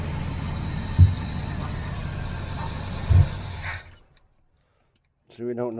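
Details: 1981 Chevrolet Camaro Z28 V8, carburetted, no choke, electric fuel pump disconnected and running on float-bowl fuel: deep steady idle with even low beat for a few seconds before dying; sounds healthy while running.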